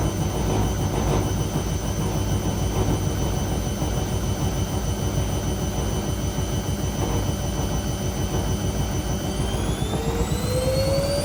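A loud, steady roar with a low, fast pulsing drone and a tone rising near the end; the washer spin is abnormally noisy, cause unknown.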